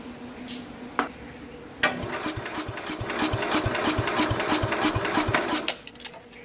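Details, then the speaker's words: 1969 Bolens 850 tractor, original Wisconsin S8D 8¼ hp engine, sat 3 years: hot engine cranks slowly at about three beats a second with battery charger attached and won't refire; owner suspects compression leaking from the cylinder, unconfirmed. "Geez, it's still cranking over slow. I got the battery charger hooked up to it. See, and it doesn't want to start up again right away, which is really bizarre."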